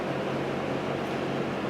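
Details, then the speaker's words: 1971 Lakewood/Country Aire P-23 3-speed box fan, three-blade set, on medium speed: steady even whoosh with low motor hum, no ticks or rubbing; healthy, normal running. "hear it runs nice and smooth and this fan I had fond memories of seeing it on the floor"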